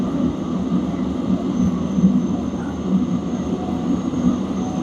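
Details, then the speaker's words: Diesel air heater with a ZC 12V 22 ml fuel pump (not a solenoid valve) drawing from an unpressurized, open tank: steady blower roar and smooth combustion hum, no surging or popping; outlet air rising from the 80s, quiet pump, normal running. "Fuel line's jamming fuel, doing its thing. It's quiet. It's a very quiet fuel pump."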